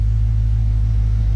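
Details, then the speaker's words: 2016 Dodge Charger after repairs, slightly smoky from burning fingerprint oil off the headers: a deep, smooth, even rumble with no knocks or misses. Normal running. "I will give it that she sounds very good"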